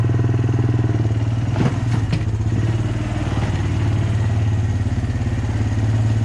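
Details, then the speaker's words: Abandoned Honda Recon ATV, back together for a test ride: steady, even single-cylinder thump at idle, no knocks, misses or rattles; running cleanly, surprisingly good. "ran it around a little bit it's running great actually kind of surprised how good it runs"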